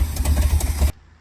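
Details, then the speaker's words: 1969 Dodge L600 after new fuel lines, a replaced fuel pump and a cleaned gas tank, choked down on a rusty choke cable; deep, lumpy rumble with uneven pulses that stops abruptly, rough idle still needing adjustment. "Well, got it to run on its own. I don't know how well you can hear me, but I was able to choke it down, get it to kind of gently idle. Definitely needs played with a little bit, but it's running on its"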